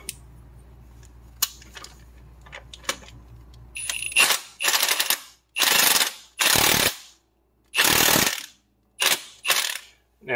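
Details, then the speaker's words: 2007 Pontiac Grand Prix 3800 Series III, 24 mm harmonic balancer nut driven on with an impact wrench after front crankshaft seal replacement; short hammering bursts, fed on slowly until it bottoms out, normal operation. "i don't want to just keep hammering this on with the impact until it's tight"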